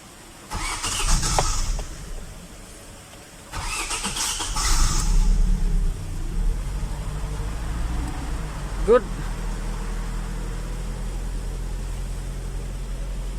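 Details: Hyundai Elantra with a no-start issue, after repair: short bursts of cranking, then the engine catches and settles into an even, steady idle with no misses.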